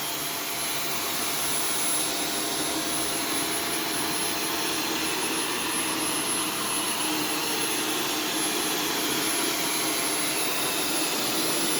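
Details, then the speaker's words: Arm & Hammer vacuum booster on carpet mode: steady airy roar with thin high whistle and strained, muffled suction, sounding like it's choking; airflow choked by a clogged filter. "it sounds like it's choking what it sounds like it's choking probably because it is"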